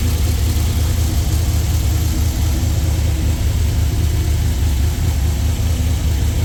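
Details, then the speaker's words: Freshly rebuilt LS V8 in a Jeep, new cam, not yet tuned, first fire-up on cold start with 50 psi oil pressure and fan off; deep, loud, even rumble at idle with no knocks or ticks; normal idle. "Sounds much better. First fire was great. We're going to let it cycle."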